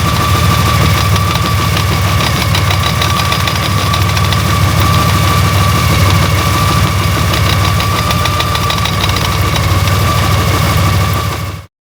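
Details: Honda Gold Wing GL1800: loud idle with a fast, uneven knocking and buzzy vibration; the abnormal engine noise has been getting steadily worse, with occasional vibration felt through the handlebars; cause not yet found.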